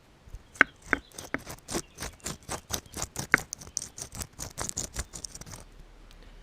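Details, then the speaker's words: Worn wheel bearing removed from car, spun by hand: dry, uneven clicking and crunching rattle with large free play, about to disintegrate. "That bearing is absolutely, and to coin a phrase, shagged. Look how much movement there is in it. So that was about to disintegrate."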